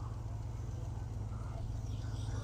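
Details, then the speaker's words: GMC Yukon XL junkyard restoration, first start after work, gives a low even idle rumble with no misses or knocks. It runs well, though it looks like it's leaking, clicking is heard under the dash, and ABS and stability lights are on. "I mean, it runs so good."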